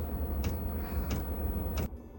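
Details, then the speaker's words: Campervan diesel heater on a 12 V supply, fed from a can of diesel, running its startup phase after priming: crisp, even ticks about every two-thirds of a second over a quiet hum, the fuel dosing pump working normally. "Once primed, we can switch on the heater and it will run through its startup phase. The ticking you can hear is the fuel pump."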